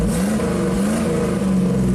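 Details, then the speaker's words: 1987 GMC Sierra V8 plow truck after cleaning and reinstalling the spark module, suspected of a bad ground: a strong, even V8 note that rises and falls cleanly with throttle. The engine now runs healthy after the stalling problem. "Boom boom. We like the boom boom. There we go. I think it was a foreground at the spark module."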